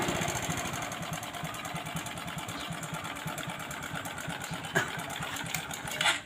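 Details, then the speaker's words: Honda Supra X 125 with heavy white smoke, no power and an oil-filled exhaust. It puffs with a rapid, uneven, thin chuff at the pipe. The muffler, likely its filter, is suspected to be badly clogged, not yet confirmed. "nah ini ya bunyinya seperti ini terus di bagian knalpotnya sepertinya buntu nih ya Nah ini buntu sepertinya karena bunyinya itu agak ngebb-ngebub"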